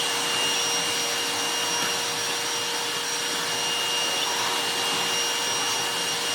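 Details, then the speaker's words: Goblin Solo vacuum cleaner after restoration with a hacked replacement motor and resealed bag door: steady high-pitched air rush with constant motor whine, no surging; airflow strong when hose isn't clogged. "When you don't clog the hose and make the door shift and do whatever it does to lose the suction to let it crack on, it's got its air flow back."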